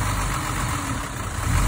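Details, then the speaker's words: Mercedes-Benz 113 Pagoda, split linkage test: with throttle linkage split and only air added, engine holds a low even rumble and will not accelerate, stumbling, helping tell whether running issues are fuel-related. "when the liquid is split you can open the throttle and you are only adding air and you can hear that this engine does not want to accelerate"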